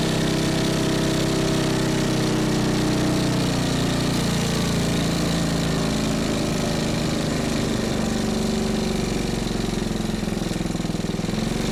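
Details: Small single-cylinder engine salvaged from a junk go-kart, on its old carburetor: steady, even beat at a fast idle with no misses or knocks. Idles great, though it struggles once the gas is pushed; normal idle running.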